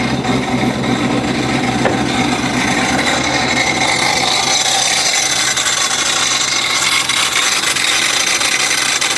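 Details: Modified car driven at 2,000 RPM: sudden very loud, harsh, gritty rasping from the intake, rising with revs (RPM dependent), belt still on; cause unknown, owner hopes something loose.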